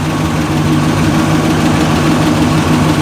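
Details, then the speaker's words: 1986 GMC K5 Jimmy V8 with about 95K on the odometer and a rebuilt 700R4, idling with good oil pressure and temperature: steady rumble with a faint light tick riding over it; source of the tick not stated. "as you can hear it's running the motor does have a tick to it but it keeps on going"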